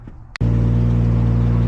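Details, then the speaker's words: MKIV Supra NA-T being checked for computer lockups under boost or launch control: a quick crank, then it settles to a smooth, steady idle before warm-up, starting totally normally with no misses or knocks. "but I mean it started up toally normal like it like it always does so uh nothing too crazy there"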